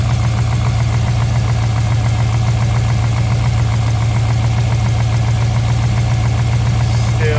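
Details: Rebuilt V8, about 3,500 km after rebuild with new pistons and OEM parts, owner suspects a dead lifter and has an unexplained misfire: cold start, steady even idle with a deep drumming beat and no obvious knocking or tapping; normal cold idle.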